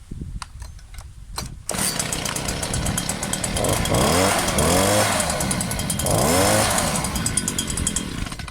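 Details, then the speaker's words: New Stihl SH 86 / BG 86 blower-vacuum on first start-up, not yet broken in: quick throttle blips whose pitch climbs sluggishly, not sounding powerful at top end; owner suspects the low jet is a fraction lean; hesitant throttle pickup. "fraction lean on the low jet i'd say it's not quite fully picking up"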